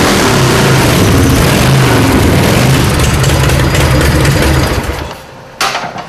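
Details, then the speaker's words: Custom V-twin chopper with magneto, being tuned: strong, even low thumping at steady idle, no misses or knocks until revs drop away; sounds healthy. "Like a doctor with a patient, Larry listens carefully to the heartbeat of his engine, tuning and refining."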